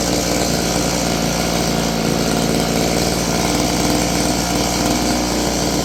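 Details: Roughly 30-year-old Stihl FS56 curved-shaft two-stroke trimmer buzzes fast and steady when it should be idling, never settling down. It won't hold idle.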